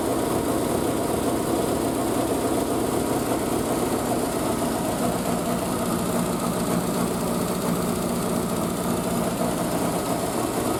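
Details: Triumph Spitfire after a single-carb conversion, unstarted for a couple of weeks, on choke after a cold start with the exhaust wrap steaming. Fast, even choke idle with no knocks or stumbles; the engine is settling nicely.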